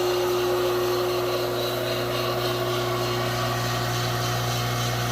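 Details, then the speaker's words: 5 hp three-phase motor, frame 573, after rebuild with new 88507 and 88504 bearings, fed by 20 hp rotary phase converter droning behind: steady even hum, faint fan whoosh and slight fan vibration; normal running. "sounds a hundred percent better than what it did amazing with a little cleanup and new bearings will do"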